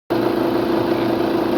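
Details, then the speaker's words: Volkswagen Jetta TDI diesel idling: fast, uneven chatter and steady hum from the engine front, dealer-quoted as dual-mass flywheel failure, actually a failed alternator decoupler pulley causing belt flutter. "this is making a pretty bad noise uh the dealer actually um quoted dual mass flywheel failure as the cause of the noise when i listen to it i hear the noise more in the front of the engine"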